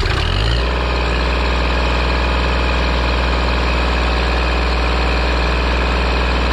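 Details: Kubota L2501 tractor diesel at its 400-hour service, run after the hydraulic/hydrostatic fluid change: steady, even idle with a low regular chug, no knocking, hunting or stumbling; engine running healthy.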